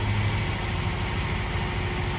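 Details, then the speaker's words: Lancia Flavia after carburettor jets adjusted, starts on the key without pumping the pedal: even, steady idle with a smooth low beat and no misses or knocks; engine sounds nice and smooth, normal idle. "and it sounds nice and smooth so engine sounds good that's uh one less thing to worry about it can reliably start and move under its own power which is good"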